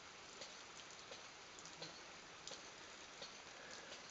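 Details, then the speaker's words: Homemade ram pump built from reclaimed plumbing fittings, heard from above the pond: faint steady tap a little over once a second under a watery hiss, waste valve cycling, pumping normally about 3 m up a test pipe. "right I've come up um above the pond now and you can if you listen you can hear the uh pump tapping"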